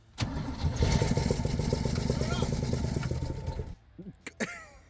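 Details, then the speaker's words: Rare Chevy G10 van's six-cylinder, sat about 25–29 years with dead cylinders noted, fresh plugs fitted: cranks briefly, catches and runs rough with loud exhaust chuff and an odd exhaust leak for about three seconds, sucking nest debris into the intake at first start. "let's get the vacuum back in here and see if we can pull all of that off that and then we'll Reino it later cuz it just started up and all of it just started going into"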